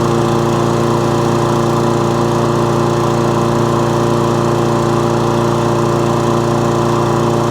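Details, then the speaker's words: Toro Recycler lawnmower with an intermittent fault, fired up to try to reproduce it: steady, even engine drone of constant pitch with no misses or cut-outs; fault not showing, normal running. "so nothing has yet but again it's an intermittent fault"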